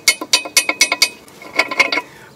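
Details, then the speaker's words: Worn ball joint removed from a Mercedes-Benz W211 and shaken by hand: sharp metallic clinks in quick bursts as the loose stud knocks in its socket like a spoon in a glass. Replaced with a Lemförder kit. "вот оно и тарахтит когда оно болтается как ложка в стакане И вот она и тарахтит"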